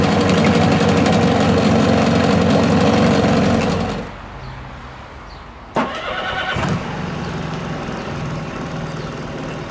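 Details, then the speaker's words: Mariner 25HP two-stroke outboard, 12 years old, cold start running in a bucket of water: loud, steady, crisp and even buzzing run that then drops away; noisy but healthy. "let's listen to the cold starting of the two outboards running in a bucket of water"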